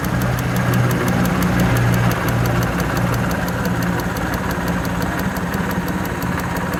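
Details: Suzuki F6A EFi three-cylinder petrol engine in a multicab idles with a light, crisp ticking of about three ticks a second, coming from the fuel injector.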